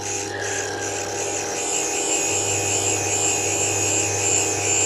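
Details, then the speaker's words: Inlet valve being refaced on a grinding stone; steady, even grinding hum with constant high whir, checked for no chattering; normal refacing without chatter. "hold it let it off just got to check it's not chattering which it isn't"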